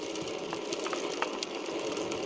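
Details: Chris King R45D rear hub, internals replaced under an earlier repair for the same symptom, recurred after little riding; irregular sharp cracks and crunchy clicks over fast freewheel ticking; internal crunching noise.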